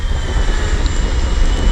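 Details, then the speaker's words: InMotion Climber dual 750 W hub-motor electric kick scooter at about 23 mph: a thin, steady turbine-like whistle over low wind rumble as the motors pull hard, rising whenever it draws wattage; normal hub motor whine. "I don't know if you can hear that whistling, but it you can hear it if you're riding the scooter."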